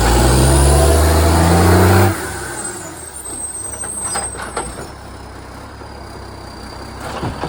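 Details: Euro 3-style Euro 5 facelift diesel garbage truck SL780 revving: loud raspy roar for two seconds, then back to quieter idle; exhaust pipe leak makes the revs much louder, later fixed.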